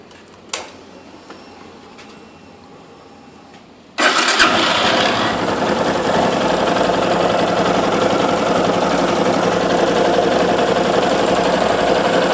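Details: Yamaha Fazer YS250 (Phaser), 2008, 36,541 km: after a few quiet seconds the engine starts and idles with a quick, light, regular "tec tec tec" ticking over the normal running note; new noise, dealer mechanic called it normal, owner unconvinced.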